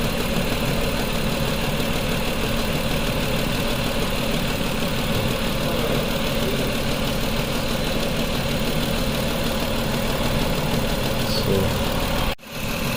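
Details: 2004 Mazda 6 3.0L V6, codes P0304 and P2227: steady idle with rough, uneven shake and dead-cylinder stumble; cylinder 4 injector open circuit (0 V instead of 12 V, PCM good), so cylinder 4 misfires and needs an injector.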